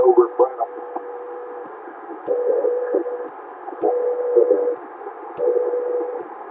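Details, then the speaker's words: CB radio (Marconi Starduster antenna at 52 feet), switching between channels 38, 39 and 40: steady mid-pitched whistle over hiss, cutting in and out in bursts every second or so; annoying carrier whistle on channel 40, not heard on 38. "I'm switching back and forth 38 39 40 39 40 39 it's kind of an annoying carrier sound"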